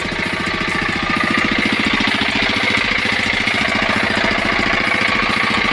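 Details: 5 hp single-cylinder diesel engine, after tappet (valve clearance) setting, thumping at a steady beat of about three and a half per second with clear valve clatter, running evenly; normal running.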